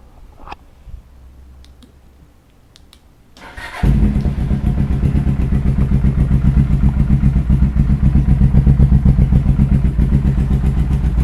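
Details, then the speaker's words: Suzuki GS500 Scrambler with newly fitted slip-on exhaust, started after a quiet spell: lumpy idle near four beats a second with a puffing, chuffing edge from the front exhaust joint, whose bolts are not fully tight; front exhaust leak, otherwise sounds pretty good. "uh there's a leak at the front these bolts are not fully tight so it's leak at the front but it sounds pretty good"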